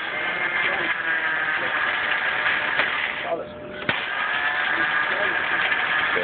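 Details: 2007 Chinese 250cc scooter (Duke touring) that stopped running, battery charged: starter spins with an uneven whirring crank that never catches or fires; cranks but won't start, cause not found.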